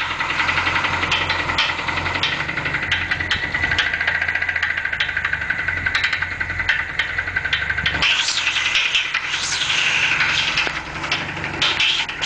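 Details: Capri petrol engine running with sharp, uneven knocks and clatter over a hissy top end; something internal is knocking, cause unknown.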